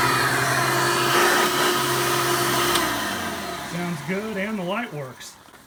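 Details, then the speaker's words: Hoover Elite vacuum after a motor replacement, on a test run: spins up to a steady, clean whine with no rattle or grinding, with noticeably better suction; the new motor is running normally. "I noticed right off the bat that the suction is so much better now. Not only does the machine sound better, but it performs as a vacuum a lot better."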